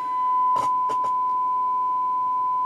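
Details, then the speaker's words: Knight KB-85 stereo tube amplifier after reseating EF86 and 12AX7 tubes, fed through both RCA inputs: clean steady tone around a thousand cycles with brief clicks, no hum; good signal through both channels. "We've got good signal feeding through both sides of this amplifier."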